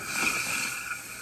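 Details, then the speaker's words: Kohler toilet after replacing the fill valve with a Kohler GP1083167 Silent Fill Valve, house water just turned back on: steady hiss of filling water with irregular sputtering surges, the weird noise from air trapped in the supply lines after the shutoff. "it's making weird noises. That's because there was air in the lines after we changed it."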